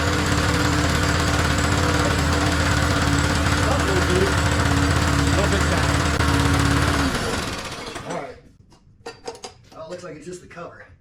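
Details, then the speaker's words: Push mower that sat 6 years out in the elements, clean oil, gas poured into the carburetor: small single-cylinder runs with a fast, choppy beat of about four pulses a second, then cuts out; rough, likely air-starved, air filter needs cleaning. "there we go all right well she definitely needs an air filter cleaned at least"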